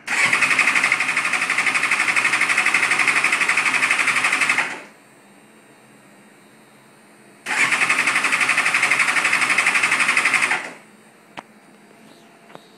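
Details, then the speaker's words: 2005 GSX-R 750 frame with a GSX-R 600 engine, clutch switch jumped: two long bursts of fast, even starter cranking, never catches; started missing one day and wouldn't start the next, and the battery is charged, with the injectors cleaned and starting fluid tried. "turn the ignition on and it got to where it won't start"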